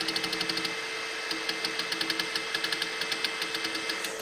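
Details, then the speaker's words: Mahor V4 pellet extruder on a Tronxy X5SA CoreXY 3D printer, printing LX175 PLA pellets while nozzle not quite hot enough: sharp regular clicks about six a second over motor hum as the unhappy extruder stepper skips steps. "if the stepper is not really happy it'll make that sound that clicking"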